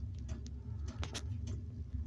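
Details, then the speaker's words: Diesel heater on a boat, cold start: soft regular dosing-pump ticking, quite quick, over a low hum as it lights; pump expected to slow once up to temperature and the glow plug goes off; normal. "There she comes. In the background now you can hear the pump going. Quite quick. But she will slow down once she gets her temperature up and everything goes off."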